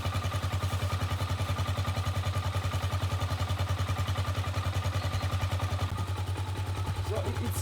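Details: Gatoma GT150A single-cylinder motorcycle, started after its battery failed within a year: an even, steady thump at about 3.5 beats per second. It is a healthy idle.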